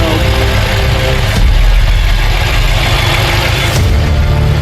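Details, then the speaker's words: BMW M5, S63 twin-turbo V8, started after rebuild work including a bank 2 airflow meter fix, in a cold garage. Deep, steady, even idle burble with no misses or knocks: healthy, running as it should have the first time. "Yeah, she sounds amazing. That's what it should have sounded like the first time."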